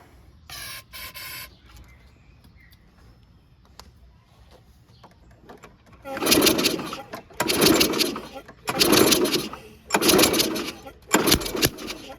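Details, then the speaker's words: 2011 Toro 22-inch Recycler mower, Briggs & Stratton 190cc Quantum engine, curb find, test start with fresh gas and no primer; five harsh popping bursts, one per cord pull, no catch, popping back out of the carburetor, cause suspected. "Okay, same thing. Popping out of the carb, sounds like."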